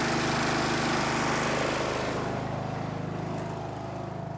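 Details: Snapper riding mower, garage-stored by the original owner, runs after the angled fuel tank that starved it of fuel was set back in place; its small single-cylinder engine fires at a quick steady beat, then settles lower and softer, healthy.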